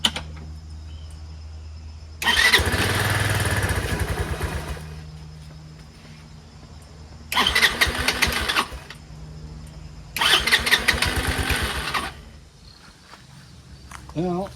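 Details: Craftsman LT1000 Classic hydrostatic lawn tractor on car battery via adapters: three cranking bursts of a few seconds each, engine catches briefly but dies each time and won't keep running; carburetor later removed and cleaned.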